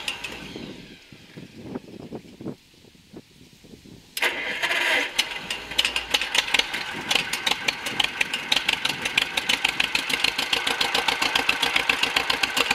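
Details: John Deere MC crawler, first start in a year after fuel system overhaul, new muffler, ignition rebuild and sanding grungy points: cranking ticks, then catches into a fast, even patter of firing; runs and moves under own power.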